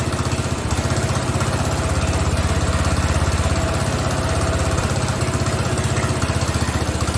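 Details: Craftsman riding mower (917.273760) single-cylinder after carb and fuel fix, loose pulley found: fast, uneven chugging with stumbles, like a hit-and-miss engine, barely staying running. Rough running, cause not confirmed.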